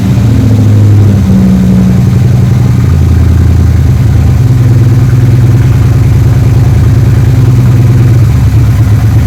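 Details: 3rd Gen Camaro Z28 carbureted V8 after replacing the plug wires and the spark plugs that caused a dead-cylinder misfire; steady, even idle with a smooth low rumble and no misses or stumbles, now a normal idle on all eight cylinders.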